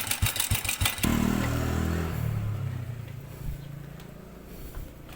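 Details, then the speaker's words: Honda Supra Fit / old Revo 100 motorcycle engine revving and settling with small clatters and fast metallic rattle from a very slack, worn cam chain. "Kalau sebelumnya sangat gemericik sekali ya. Itulah perbedaannya. Jadi bunyi gemericiknya karena kamberatnya yang sudah kendur."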